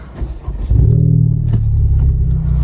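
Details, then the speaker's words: Honda Civic Type R driven with the muffler section removed after the exhaust broke off: deep boomy drone with raw rasp swelling on revs, truck-like, with gurgles; not much louder, missing muffler. "doesn't sound that much louder right now all right let's see uh let's see how she does oh kind of sounds like a truck i like the gurgles though"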